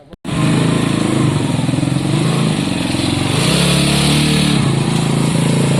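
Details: Honda CB200 test run after rear drum brake service and inline fuse refit: steady, even single-cylinder thrum with a smooth throttle blip midway, no knocks or misses; engine runs healthy.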